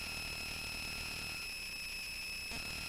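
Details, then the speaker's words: A constant high-pitched whine with hiss comes from the Touchboard audio board's speaker output; it worsened after changing the input power source, and the owner suspects poor filtering. "I'm going to mute that because that is a very annoying sound and I'm not quite sure why it's so noisy and it actually got worse when I changed the input power source so I'm just thinking it's not uh it just does doesn't have a great filter on it or anything"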